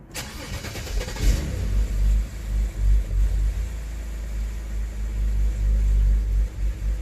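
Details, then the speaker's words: BMW N52 engine starting after sitting two weeks, no check engine light: cranks, catches, then a low, uneven idle swelling and sagging with the whole car shaking; vacuum test points to the failed CCV (crankcase ventilation) valve. "it's rough and the whole car is shaking I'm not sure how I can show you that but the whole car is shaking yeah so the idol is wrapped and we don't have any check engine light"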